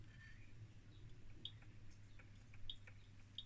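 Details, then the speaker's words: 1978 Furuno FE-300A 200 kHz depth recorder, no sensor fitted, after a mechanical fix: faint sharp ticks about once a second over a low hum, as the spinning stylus touches the thermal paper each turn, the normal start-of-pulse click, with timing adjusted. "that click that is the start of pulse signal and remember we adjusted the timing so we are now some meters before click the pulse"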